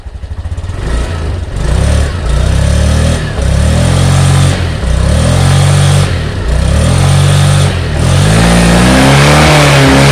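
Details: 2020 Honda Beat LED scooter CVT with imitation parts, after engine oil change (oil had run out), revved repeatedly: revs rise and fall smoothly without rattling or grinding; earlier rough noise gone, normal CVT operation.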